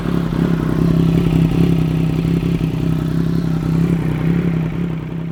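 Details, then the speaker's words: Triumph Daytona 955i idling after aftermarket slip-on exhaust install: fast uneven puffing tick over deep hum, an exhaust leak at the slip-on joint persisting despite repositioning and clamp tightening; later fixed with exhaust sealer at the joints. "so unfortunately it didn't work I tried to move the pipe around a little bit I tried to really tighten it down with the clamps but there was still an exhaust leak"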